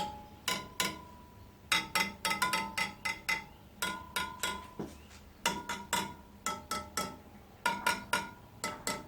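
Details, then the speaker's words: Suzuki DR200S farm motorcycle, checking wheel spoke tension by tapping each spoke and listening for a dull one: sharp taps ringing bright and clear, no dull thud; spokes evenly tensioned. "how do you take the tension well that's basically how I do it you know I listen for a dull one"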